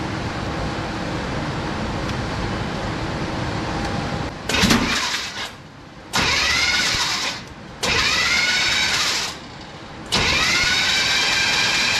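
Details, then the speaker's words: Old Chevy OBS truck V8 being revived after water was removed from the engine. Cranking with spark plugs out to blow the cylinders clear gives three bursts of quick, free whirring with no compression chuffs. "We're gonna go ahead and crank it over, blow everything back out of the cylinders and just see what happens."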